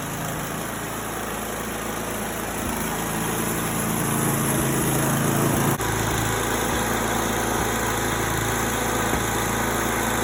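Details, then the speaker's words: 8-horsepower 1980s Simplicity snow blower, started with a little choke on a cool evening: small single-cylinder engine runs steadily at about four beats a second, even, unfaltering drone; running cleanly. "And we'll put the old Simplicity to bed until fall, and then we'll start it up again, make sure she runs, but she's running good so far."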